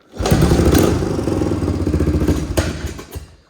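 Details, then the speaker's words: Abandoned 1979 Honda XL500S, unused for about 15 years, after revival: uneven single-cylinder thumping that stumbles and fades out, with no knocking or blue smoke. The owner suspects it only needs a carb clean and that gunk from the tank needs cleaning or filtering. "but basically all it needs from the sound of it is a good carb clean which we'll address later on"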